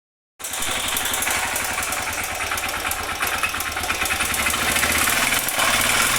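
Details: Honda Bros 125 single running with a busy, regular metallic tapping over the exhaust, a light knock from deep in the bottom end; connecting-rod noise suspected, not confirmed.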